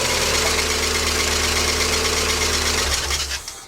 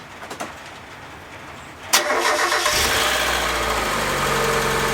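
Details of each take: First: Mazda MX5 at startup: harsh rubbing, scraping hiss over the idle from a frayed auxiliary belt that drives the power steering pump and A/C compressor. Something on the belt drive locked up without snapping the belt, which now needs replacing. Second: Mazda MX5 after auxiliary belt replacement (belt drives power steering pump and A/C compressor): starter whirr, quick catch, then smooth even idle with no belt squeal or chirp; sounds healthy, job done.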